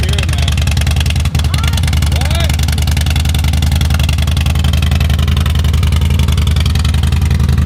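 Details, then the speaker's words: 2005 Harley-Davidson Road Glide after ThunderMax install, warm-up idle cycle after restart: loping even V-twin idle, steady beat, no clatter or misfire; AFRs in target range; normal idle. "Normal idle speed should be attained depending on the engine temperature. Warm-up cycle. Boop, boop, boop. Boop, boop, boop. Sounds good."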